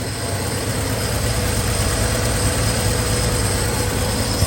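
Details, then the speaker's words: 1968 Chevrolet C10 idling after new tune-up, exhaust leak fixes and downpipe refitted to exhaust manifold: low even idle rumble with steady pulses, no puffing or ticking at manifold; still noisier than a small block Chevy, running fine. "These fixes are still noisy little things. Make a racket still. Compared to the old smooth small block Chevy."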